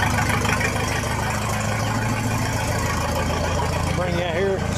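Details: 1966 U302 Super idling under its own power after earlier rebuild issues were corrected: a loud open-exhaust idle with a steady low beat and no knocks or misfires, sounding healthy.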